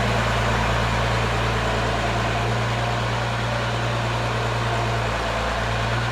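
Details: Diesel in a Ford ("Fummins") idling deep and even right after a newly installed P-pump was primed and the injector lines bled, with a steady low beat of about three or four pulses a second and no misses: normal idle.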